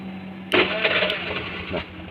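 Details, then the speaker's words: Honda Vario scooter with a carburetor whose starter only clicked because the starter relay in the CDI was weak; with the relay jumpered, a brief starter whirr catches within a second and the engine runs smoothly, starting normally. "seperti itu ya jadi motor sudah enak sekarang sudah bisa starter hanya dilakukan penjemperan seperti ini"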